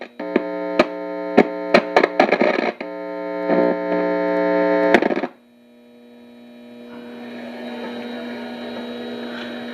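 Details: Signal tracer used on a Realtone 2208 W radio: steady mains-type hum with buzzy overtones, scattered crackles, then hiss; the noise comes from the tracer itself, cause unknown, and switching it off and on sometimes clears it.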